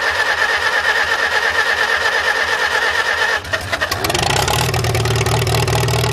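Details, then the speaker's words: Farmall H tractor first start after cleaning the sediment bowl, valve cover not bolted down, no radiator or coolant: starter churns about three seconds, then catches quickly into a smooth steady idle, oil pressure shown; normal start and idle. "well that started up amazingly fast and actually ran really good I'm surprised I figured I'd have to fight with it for a good bit"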